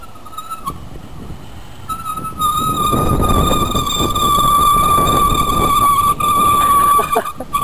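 A sustained high squeal comes in as the brakes are applied and holds steady over the riding noise, a squealing brake.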